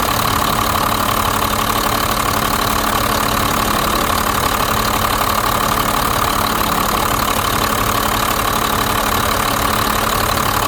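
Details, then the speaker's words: 1991 Blue Bird bus, 5.9 2-valve diesel, after replacing fuel lines and bleeding air from lift pump and injector lines: steady even diesel clatter at idle, no misses or stumbles; healthy idle once fuel system free of air. "I don't want to cut the motor off because it sounds so good."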